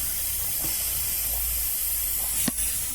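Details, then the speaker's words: 45-year-old 2.8L Vauxhall Royale coupé with a rebuilt engine, running hot. A steady pressurised hiss with a brief spurt of spray: hot coolant escaping at the known bad thermostat housing, with a replacement on order. "That is hot. That is pressure. That's just blown a hose. That's not good. Okay, that's that bad thermostat housing that we already knew about."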